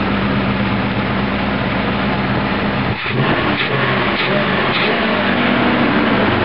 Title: 308 MISFIRE FIXED